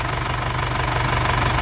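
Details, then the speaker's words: 1998 Isuzu Panther Grand Royal diesel, 27 years old, new battery, started first crank: steady crisp diesel clatter, calm engine, no misses or odd knocks, dry engine; normal diesel idle. "renyah. Ya, suara nyernah khas penter enak di telinga, tidak ada suara yang aneh. Terus mesinnya juga tenang, tidak oblak ya, tidak pincang mesinnya."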